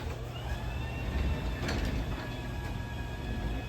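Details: LiftMaster 87504-267 opener on a new Haas garage door during an opening run: a steady low drive hum with a light clatter of the door along its track, with no grinding or straining. Normal opening cycle.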